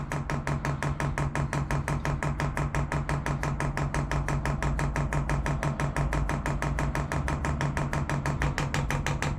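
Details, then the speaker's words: Chinese diesel air heater kit from MaXpeedingRods on an overland trailer, second priming cycle before first run: quick even fuel pump ticking over low steady hum, tone changing and quieter as diesel fills the line; normal priming. "tone changing as the diesel comes in see how much quieter that's getting now"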